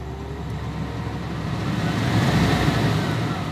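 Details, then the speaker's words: Classic car during Hellcat swap, ignition turned to accessories on newly wired AC system: steady airy hum swells smoothly over a couple of seconds and holds even, no rattles or squeal; blower spinning up normally. "I turn it on the system turns on the AC unit tells me hey I need to turn on the AC"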